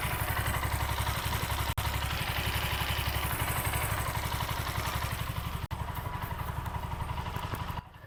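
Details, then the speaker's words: TVS Apache RTR 160 4V after tappet/rocker timing setting and new oil and filter, replacing a clogged local filter that starved the head of oil: even steady idle thump, no ticking or clatter, sounds like new; normal. "तो friends आप देख ली engine का sound जो नया जैसा होगा मस्त मला मक्खन निकल रहा है"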